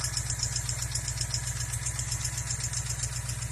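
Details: 2014 Ford Mustang GT 5.0 Coyote V8 idling with a sharp, steady tick about four times a second; rocker roller follower wheel found worn flat, replaced with lifter.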